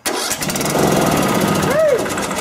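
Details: Riding lawn mower with the solenoid wires swapped, showing the order doesn't matter: the starter engages immediately and the small engine catches within a fraction of a second, then settles into a strong, even run.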